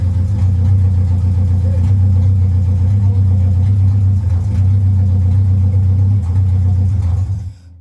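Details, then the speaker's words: Vauxhall Firenza HPF with Lotus engine conversion, very first start-up: low loud lumpy uneven idle wavering before dying away, runs unaided but rough; owner says it needs timing worked and isn't quite right; rough idle. "now she obviously needs a little time worked and she's rocking around a few bits so she you know tommy's not quite right"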